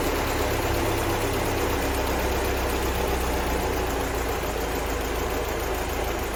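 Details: 1975 Land Rover Series 3, freshly rebuilt engine running after warm-up and timing set, vehicle parked 15 years before: steady, even idle with smooth low rumble, no knocks or misses; normal idle.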